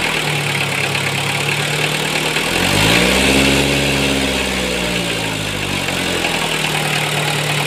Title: A Toyota 1C-II diesel engine with an aged timing belt/drive belt. Somehow makes a strange noise.